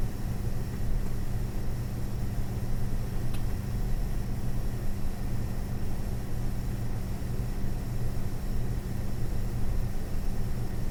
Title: ASUS Dual GeForce RTX 4060 EVO making strange noises